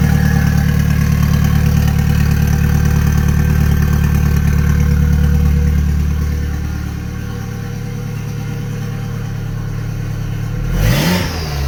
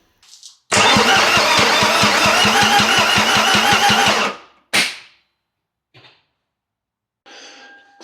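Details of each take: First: Toyota MR2 with an Audi 1.8T engine swap after days of diagnosis: a smooth four-cylinder idle with an even pulse that eases down steadily. There is no more knocking from the bent rods and no misfire; it is running properly. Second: Toyota MR2 with an Audi TT 1.8T engine swap, being cranked before first start: the starter churns with regular compression pulses for about three seconds, then stops dead. The engine locked up; it was freed by hand, cause unknown.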